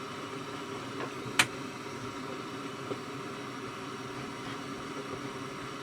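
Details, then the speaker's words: Sharp WQ-CD800 boombox with a rusty, broken antenna: on FM only faint even hiss with occasional click, no station; AM works, mono/stereo switch no help, cause not confirmed, possibly something unplugged. "Well, AM works well, but FM seems to be dead. Could it be the switch? Try the mono stereo switch. Yeah, it's completely dead."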